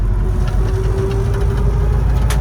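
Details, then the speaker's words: Toyota FJ40 driven fairly slowly in fourth gear: a steady mid-pitched gear whine over the engine drone, more than the owner would like, with the windows rattling; shifts fine and pulls well. "in fourth gear right now and you can hear it's got a little bit of a wind it's a gear noise but it runs and shifts you know just great doesn't seem to have any issues whatsoever"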